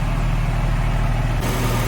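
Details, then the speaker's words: Porsche 997/996 after replacing two small front coolant hoses and bleeding the cooling system, car previously standing about a year; deep, steady idle with even low burble, no misses, hiss or gurgling; normal idle. "sounding nice and sweet in there."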